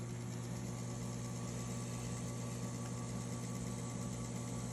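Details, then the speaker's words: Electric typewriter running again with a new motor belt and typing belt; an even, low motor hum with no rattle or slipping, much quieter than the old belts, which vibrated. "okay this is a update of the video i just made about this typewriter not turning back on after changing the belt well as you can see here are you that you can hear it is running again"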